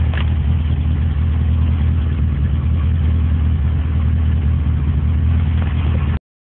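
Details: 1978 Porsche 924, rebuilt engine at idle: quick tapping about four per second from loose tappets; the adjusters are fully out because valve stems weren't ground at the valve job; oil delivery good.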